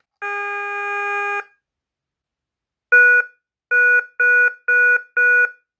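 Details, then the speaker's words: KERUI wireless alarm base after pairing a new motion sensor by plugging and unplugging it five times: one long beep, a short pause, then five quick even beeps confirming the sensor is programmed. "right so that means program already okay so now we're gonna do a test on this one the new one that we just program"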